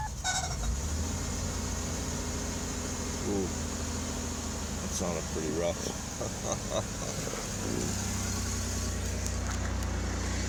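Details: 2000 Ford Taurus, first start after intake manifold gasket replacement with fuel primed: the engine catches and settles into an uneven, lumpy idle with a low drone; running rough, cause not yet found.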